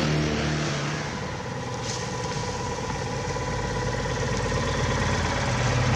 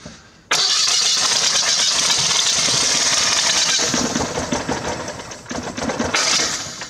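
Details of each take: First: Old Citroën Acadiane bought unseen in Germany, driving after an on-the-spot repair in December. A steady, even engine note at constant speed with no knocks, misses or rattles. It runs smoothly but is slow to gain speed and needs adjustment. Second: Old Citroën Acadiane, cold start after its ignition wires were reconnected. The engine catches and runs rough and lumpy with every other firing missing. It is running on only one of its cylinders; oil pressure is present.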